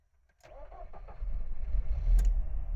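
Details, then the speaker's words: Engine with suspected blown head gasket (hard starting, white exhaust smoke), after DIY sodium silicate liquid-glass sealer added to cooling system, third cold start: short crank then catches into slightly uneven idle; still somewhat hard to start. "and another day and this is the fourth time I start the car called Engine little bit hard to start"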